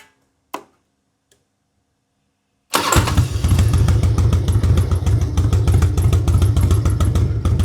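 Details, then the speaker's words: Harley-Davidson Road King converted from Magneti Marelli EFI to a CV40 carburetor, pushrods adjusted, carb retuned: V-twin fires up with no throttle into an even loping idle, lifter tick gone; healthy normal idle. "That means the lifters are good. I did have to retune the carburetor just a smidge to get it working correctly. But as you can see, this thing runs beautifully."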